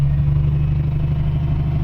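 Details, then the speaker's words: Isuzu Forward diesel truck after fixing crankshaft position sensor fault (P0336): steady, even idle with smooth low rumble, tachometer needle no longer fluctuating, no longer stalling when accelerator is released; previously needle bounced at up to 2,000 rpm with hiccuping. "ये देखिए सुई बिल्कुल ठीक हो गई है। अभी कोई सुई में कंपन नहीं है। पहले सुई ऊपर नीचे हो रही थी, इंजन भी हिचकी ले रहा था।"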